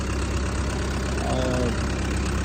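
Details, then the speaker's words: 2020 ASV RT-120F forestry high-flow skid steer with Fecon mulching head, new tracks and a rebalanced head: deep, steady diesel rumble with an even beat and no knocks or rattles. Smooth, healthy idle. "I got the machine running. Everything is perfect on this machine. As you can hear, it's just running smoothly. Everything works fine."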